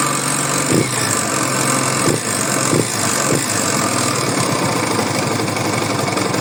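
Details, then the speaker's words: Yamaha YBR/XTZ single, top end already rebuilt with new cam chain: dull knocks at idle and mid revs when the engine runs light, not under hard revs; attributed to a worn balancer shaft bearing. "se atentem ao barulho ele é causado em meio giro médio giro no momento em que o motor dá aquela que o motor fica mais Livian trabalhando tá tanto no andando quanto bem na lenta não em giro forçado também"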